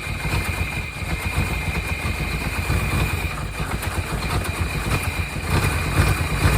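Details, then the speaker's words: 1992 Chevrolet Caprice wagon V8 parts car, bought as seized after sitting in a field, restarted after freeing a frozen alternator; oil nearly new, maybe a quart low. Rough idle with light, fast ticking; owner suspects noisy lifters after long storage, unconfirmed. "see if we can uh fire back up and get those lifters to quiet down"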